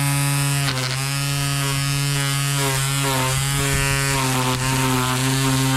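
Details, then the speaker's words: Ryobi One+ 18V cordless 25cm grass trimmer while cutting: the strimmer line comes off, a recurring problem. The motor hum climbs in pitch and stays higher as the load drops; the note change is the only telltale. "So, as you can hear, what's just happened is that the strimmer line's come off. That's the only telltale about it, is that the note changes."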